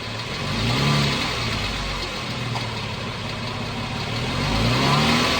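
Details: 2014 Jeep Wrangler 3.6 Pentastar rising and falling through a couple of revs with a light busy clatter on top; owner asks whether rocker arm or valve tick, source unconfirmed.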